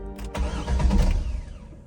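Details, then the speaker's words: C5 Corvette with low battery, after jump start and voltage recovery: quick crank catches at once, settles into steady even low rumble, traction/stability lights went out; normal start and idle. "good finally it starts on its own once again"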